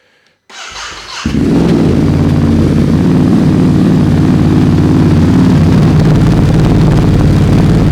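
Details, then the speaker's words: Ducati Desert X with SC Project decat and SC muffler, baffle out, recorded through a Rode Wireless Go that filters noise; brief crank then loud deep lumpy idle, a little louder, healthy with free-flowing exhaust. "Yeah, it's a little bit louder."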